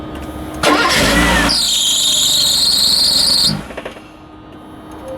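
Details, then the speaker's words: Mercedes, cold start after a fuel pump replacement, filmed from above the engine. The engine fires, then a shrill high squeal sits over it for about two seconds and fades as idle settles; a belt squeal is suspected. "You got some belt tweak. The cold start of the cold start."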